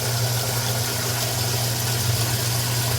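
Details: Older washing machine, probably over 10 years old, after replacing the super-slow water inlet valve, on light load: strong, steady rush of incoming hot water over a low hum, no sputtering or chatter; hot fill flowing freely, normal.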